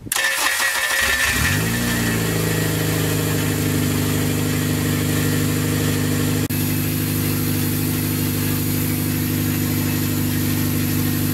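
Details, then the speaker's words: Ten-year project four-door car with RBC intake manifold; engine catches after a short crank and settles into a smooth, even idle with no knocks or misses and no leaks seen, normal idle. "Sounds good. Sounds good. I don't see any leaks down there. Yep. Sounds real good."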